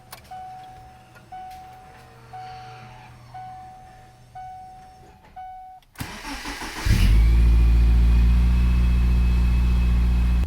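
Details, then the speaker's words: 2000 Subaru Impreza 2.5RS cold start in the garage right after an oil change: a few chimes, a brief crank, then it catches quickly and settles into a steady fast idle without knocks; healthy, normal cold start. "I'll start it up and see how it sounds. See if it explodes. Open the garage door to not suffocate ourselves. This is actually a cold start as well,"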